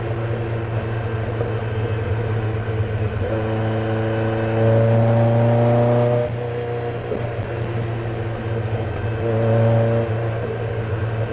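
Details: 308 petrol engine revved in short blips: uneven running with misfire and sharp pops, with fire from the exhaust between revs.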